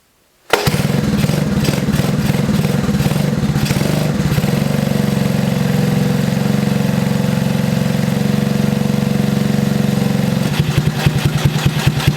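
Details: 1982 Honda ATC 110 three-wheeler, long unused, after fixing a sticking carburetor float needle, run on choke; single cylinder runs fast and uneven, won't settle to a steady idle, idle screw setting unknown.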